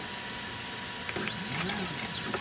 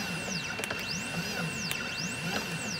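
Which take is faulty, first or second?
first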